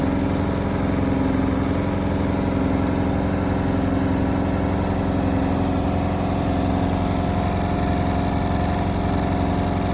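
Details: Indesit WIL143 washing machine on final 1400 rpm spin: a steady loud drone with a fast regular throb, about 220 per minute; strange noise, cause unknown.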